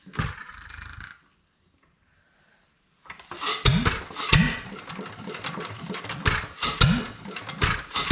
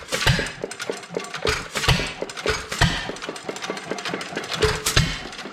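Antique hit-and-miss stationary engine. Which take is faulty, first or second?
first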